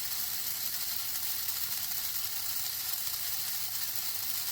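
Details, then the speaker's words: Hornby Intercity 125 model train motor, an eBay non-runner, after a drop of oil on the armature bearing: soft, even high-pitched whir with no squeal or rattle, now much quieter. The motor runs normally. "Oh, that's better. That's a lot quieter now."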